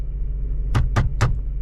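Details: Mazda RX-8 rotary after swapping in a used oil metering pump (OMP) and moving the sensors over to fix limp mode, engine light now off: steady, even low idle rumble with no misfire, a few light taps; idling normally.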